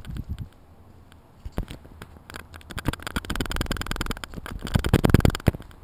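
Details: GoPro HD Hero2, bought new in January 2012 and noisy since: irregular light rattling and ticking in bursts as the camera is shaken; owner believes the internal mic is loose, not confirmed.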